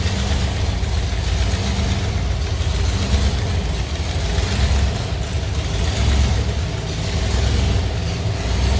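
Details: 1932 Ford Delivery street rod, briefly warmed, just started, water temp about 130 and rising, oil pressure 30–40 psi: a deep, steady low rumble with a slightly loping beat, even and settled; a healthy idle.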